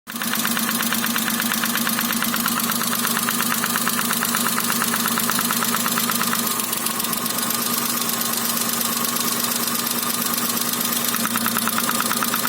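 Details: Daewoo Matiz 0.8 with ignition module: rapid metallic ticking over steady idle, knock in cylinder 1 of the small petrol engine; problem later resolved.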